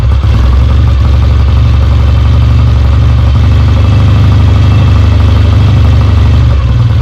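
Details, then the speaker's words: Kawasaki W1 first start after rebuild, fed gasoline without the tank, idle and mixture screws not yet adjusted: deep, loud, even twin-cylinder thrum that keeps running. It runs and oil comes out of the oil lines, so the oil pump works. "definitely got oil coming out of here which is a good sign all right it runs"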